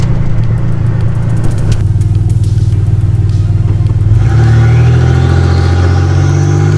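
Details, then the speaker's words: Nissan 300ZX turbo (~200 hp) driven with no exhaust fitted: a very loud, raw roar rises hard under acceleration, with a low drone throughout and the noise coming from right under the car. Far too loud; fitting an exhaust is the next job. "It's still super loud. Well, it's super loud. It's super loud. All the noise is right under the car, so Yeah. that's definitely the worst part."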